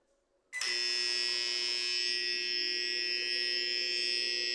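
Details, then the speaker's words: Microwave oven: harsh steady electrical buzz from the transformer when timer is set, persists with only transformer and capacitor connected, after control board and power relay were already replaced. "deixei só o o transformador e o capacitor e continua o mesmo barulho"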